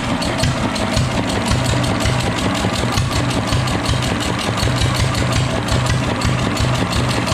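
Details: Fully restored, disassembled and rebuilt Deutz stationary engine: a slow, even thumping beat that holds steady with no knocks, misses or surging; this old stationary diesel is running sound.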